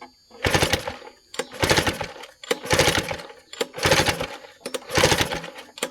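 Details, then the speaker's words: Vintage outboard, clean and barely used, choked and in neutral with shrouding still on: five rope pulls about a second apart, each a rattling whir dying away with no firing; cranks but won't start, spark not yet checked. "Yeah, I have a funny feeling she's not going to run."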